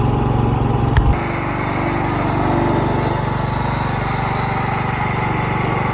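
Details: Cub Cadet 104 garden tractor, ant-infested and sitting many years: steady lumpy idle around four beats a second, running only with choke on; owner suspects fuel starvation and may need to clean carburetor if it doesn't clear up.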